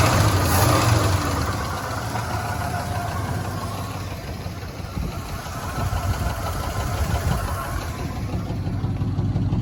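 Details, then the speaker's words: 1977 Chevy C10 Custom Deluxe V8 (automatic, factory air), first run after sitting since about 2006, idles roughly with a loose, quick ticking over the rumble; noisy lifters noted, also a broken flex plate clunk, and the water pump is not pumping. "so we know it runs we know we've got some noisy lifters"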